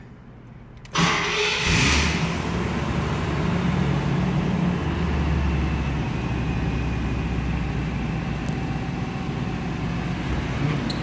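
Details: 1984 Cadillac Eldorado Biarritz, cold start inside a warehouse with the hood open: engine cranks briefly, catches at once and settles into a smooth, even idle with no knocks or misses; healthy cold start.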